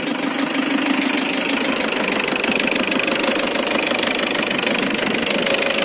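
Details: Isuzu Trooper diesel at idle with a sharp, fairly regular knock around three per second over the diesel clatter; throttle position sensor code 74 also stored; owner unsure if valve or engine knock.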